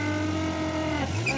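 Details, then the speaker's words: Nissan engine running: steady drone with a honking, pitch-jumping goose-like tone, first thought to be a carburetor diaphragm, found to be air sucking in through the valve cover breather when its hose is off. "It is the breather. The valve cover breather. It's sucking the air in through that valve cover breather."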